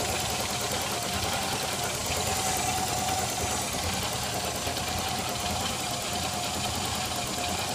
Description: 1986 300zx vacuum leak